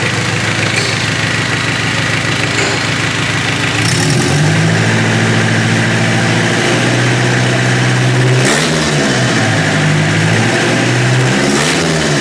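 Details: Mitsubishi Triton 4M40 diesel engine after overhaul, idling then revving: steady clatter at idle, smooth climbs in pitch on each rev and clean drops back; even, healthy running.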